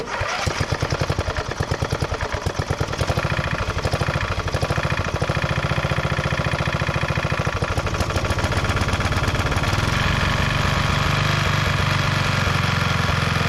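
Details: 1991 MTD 12/38 riding mower under restoration: engine cranks, fires right up and settles into a steady, even idle with regular firing pulses, no knocks or misses; normal start and idle.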